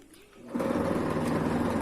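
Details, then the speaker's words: Sliding gate motor: a steady buzzing hum as it runs, then at a certain point it slips and the gate stops moving, caused by the pinion slipping on worn rack teeth. "quando você aciona ele certo momento ele começa a patinar fica apaixonado não sai do lugar aqui"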